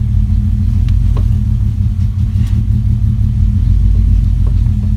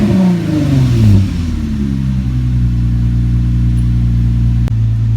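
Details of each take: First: Engine first started, before the camshaft position sensor was replaced: deep, lumpy, uneven idle, the engine misfiring and running poorly. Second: Nissan G project car (V6), restarted after correcting two suspected crossed spark plug wires that had made it run badly: a quick blip settles into a steady, even rev with a clean exhaust note and no stumble, running smoothly.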